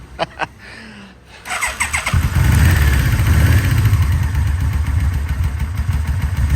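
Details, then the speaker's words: 2004 Yamaha VMAX with 4,400 km, unridden for over 15 years, after full rebuild with coil work: starter whirs briefly, then engine catches and settles into a deep, steady, even idle; healthy start. "let's start it now oh what a huge difference"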